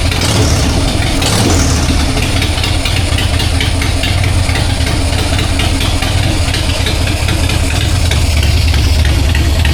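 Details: 1999 Harley-Davidson Sportster 1200, S&S Super E carb, in neutral after accelerator pump replaced (it had sputtered on throttle): deep even V-twin lope with clean throttle blips, crisp pickup, no stumble. Normal idle and revving.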